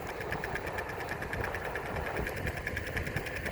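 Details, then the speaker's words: EOVAN GTS Carbon Pro electric skateboard, few days old, about 50 miles, riding about 11 km/h: sharp regular ticks about seven per second over rolling hum, rate rising with speed; clicking/knocking from front left wheel. "The faster I go, the faster the sound, the noise makes."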